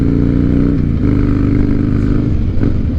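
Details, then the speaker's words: 2007 Harley-Davidson Night Train after fixing holed fuel lines inside the tank and a fuel pump lacking pressure: deep, even V-twin rumble holding steady with no misses or stumbles; normal running. "Feels good, man. I think we got her fixed."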